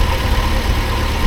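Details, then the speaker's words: Triumph Herald with Stromberg carburettor, recently flooded with plugs dried out: low petrol idle with an uneven, lumpy pulse and occasional stumbles, though it revs up okay; rough idle possibly from a worn engine rather than the carb. "but that might not be the carburetor's fault, that might just be a knackered old engine. But it revs up okay. It's just a bit sort of farty,"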